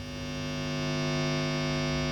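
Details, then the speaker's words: Fender Twin Reverb being refurbished: reverb pan's output end held near the mains transformer gives a loud, steady, buzzy hum that never changes; mains hum pickup, quiet when the pan is turned so the coil sits away from the transformer. "i want to just make sure that we can put this in without picking up a lot of hum"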